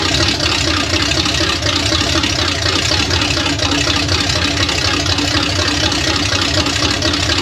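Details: $300 Small Block Chevy 350 V8 idling on a DIY engine run stand: a deep, even, lopey rumble with no knocks or ticks, healthy with an apparent cam. The owner thinks it has no thermostat.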